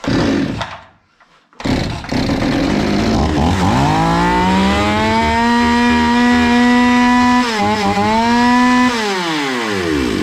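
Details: Zomax 5020 two-stroke chainsaw, carburetor cleaned but still stalling; cuts out briefly, restarts, revs up, sags and recovers, then winds down and dies, before mixture screw adjustment.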